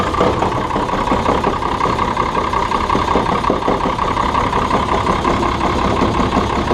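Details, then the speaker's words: John Deere 6600 combine diesel at idle: uneven knock about three times a second as the idler pulley hits the ground because the belt is stretched; a new spring is fitted, a new belt is due, and higher revs stop it. "Knocking you're hearing is that pulley hitting the ground. Put a new spring on it. The belt's too stretched."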